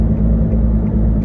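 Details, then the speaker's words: 2006 Nissan Altima while driving: low steady drone under road noise that does not go away when turning; suspected wheel bearing, possibly rear, unconfirmed. "9 times out of 10, that's a wheel bearing. Let me see if I can get over. And it doesn't go away."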